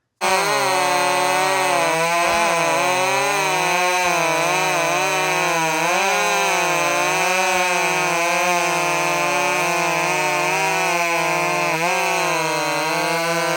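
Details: Husqvarna 562 chainsaw with exhaust upgrade, cutting wood; high two-stroke scream rising and falling steadily under load with no misfire or stumble, saw comes alive and runs healthy.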